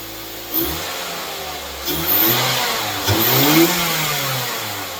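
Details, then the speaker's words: 2008 Mazda 3 after an engine swap to a junkyard engine, second fire-up: clean throttle blips rising and falling smoothly, returning to an even idle without knocks or rattles; engine sounds healthy. "Second fire up of the project from hell. This is to prove that it is working and that it sounds good."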